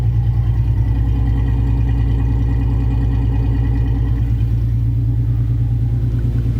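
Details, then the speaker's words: V6 Mustang, 146,402 miles, budget build with aftermarket exhaust, not run in months, started indoors beside a wall: deep, steady burble with even low pulses, no misses or knocks; nice, moderately throaty tone, not loud but not quiet, healthy exhaust. "I'm not sure how well you can hear that, but it's got a very nice tone. It's not loud, but it's not quiet."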